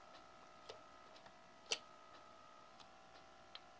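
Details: Herbalizer vaporizer makes a loud, steady vibrating buzz with scattered light ticks when turned off. The magnet that attaches the bowl to the heating element is not fully secure. Pressing down softens it, and keeping the bowl on its base stops it.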